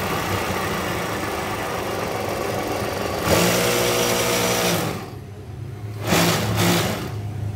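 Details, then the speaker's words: Brother X-Komputer sewing machine, built for heavy thick stitching: fast, coarse whirring clatter that surges, stops briefly and picks back up; rough-sounding but strong, normal running. "Memang terdengar kasar, tapi ini menunjukkan apa itu ee?"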